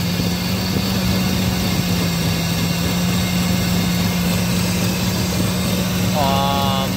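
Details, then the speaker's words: 2000 Ford F-150 4.6L V8 at idle during MAF sensor signal test, readings jumping 1.31–1.38: steady low V8 idle with slight uneven hunt; rough idle, cause undetermined. "so i already had it on can i have my truck's running rough [Music] 133 131 138 so this is jumping around"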